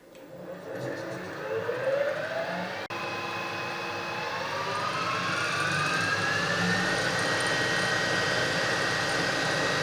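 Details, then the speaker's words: Harrison universal milling machine head after servicing, inverter drive, about 2,000 then 1,000 RPM: smooth steady whir with gear tone, no knocks or grinding; normal high-speed running. "that's about 2 000 RPM and that's about a thousand RPM"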